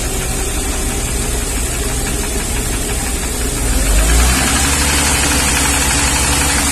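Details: 1994 Mercedes-Benz G320, Japanese import, cold engine at -5 °C just driven in: dull regular tap about four per second under idle hum, sharpening on throttle blips; suspected upper-end piston knock or wrist pin rather than valvetrain, not confirmed.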